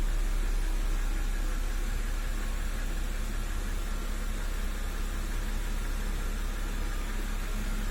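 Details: BMW N52B25, 2009, 120,000 km, at idle: a dull, fairly regular knock just under three per second in the low rumble, heard best from below on a lift; owner suspects lifter, camshaft bearing or bearing shells.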